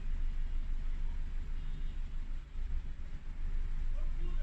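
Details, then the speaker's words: Four-cylinder car idling during a cylinder drop (power balance) test using an Autel MP808TS scan tool, cylinder 4 deactivated: same mild unevenness as with the other cylinders dropped; no change, so no cylinder problem. "4 dropped, same thing. So again, this car doesn't have any problems with the cylinders."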